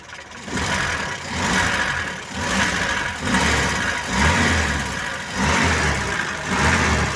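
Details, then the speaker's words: Mitsubishi Colt T120 petrol engine, idling and blipped about once a second after the distributor was turned to the right timing position: revs rise and fall cleanly with no popping, misfire or pinging. "kalau pas gak napur teman-teman meskipun digas-gas gak ada suaranya enak teman-teman"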